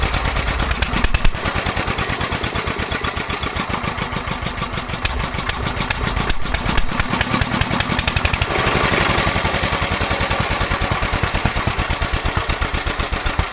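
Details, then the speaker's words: Petter A11 (A1 series 2) single-cylinder vintage stationary engine, owned 12-13 years, sat damp in a container for four years; uneven, stumbling firing with missed strokes and surging pace; rough running, owner suspects fuel starvation from dirt in the carburettor. "Yeah, I think they're going fuel starvation. I think the carburetor's got a little bit of crap"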